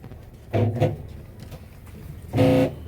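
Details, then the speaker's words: Electrolux washing machine agitating during a wash, with short honking groans in bursts. The noise comes from the worn plastic motor pulley. "Si escuchan el ruido. Si escuchan el ruido. Ese ruido que lo produce esta piecita y el la polea del motor."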